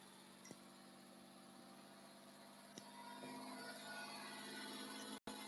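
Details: Porsche 997 on second start-up after complete engine build, oil pressure 5, temperature starting to rise, coolant below minimum, water drips from exhaust junctions: steady, even idle with smooth hum, no knocks or ticks; healthy normal idle.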